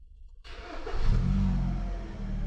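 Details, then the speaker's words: Hyundai HB20 starter diagnosis: no crank without clutch; with clutch pressed, short crank, engine catches at once, flares and settles to smooth idle, so clutch pedal sensor not at fault; starter motor was the real problem, not battery. "Ah, ahí funcionó correctamente."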